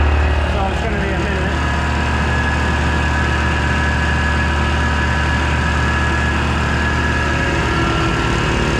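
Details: Air compressor on a newly wired 50 amp circuit: a steady, even pumping drone that holds its pace with no knocking, squeal or labouring; it is filling normally.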